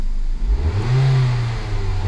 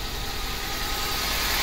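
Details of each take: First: Ford Focus after new spark plugs, coil packs and valve cover gasket that fixed a misfire; two quick throttle blips, revs rising and falling cleanly with no misfire or stumble, injector rattle normal, much less engine vibration. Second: Ford Focus before replacing spark plugs, coil packs and valve cover gasket: engine idles roughly and unevenly, vibrating more than usual, weak and unsteady exhaust note; cylinder misfire, with EGR valve first suspected.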